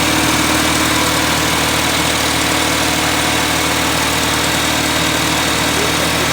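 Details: 1979 210 after choke fix: starts, idles kinda high, air cleaner off, but a steady misfire lopes the idle nearly four times a second; pulling plug wires 1 or 4 kills it, 2 and 3 change nothing, two cylinders apparently dead; compression tester next.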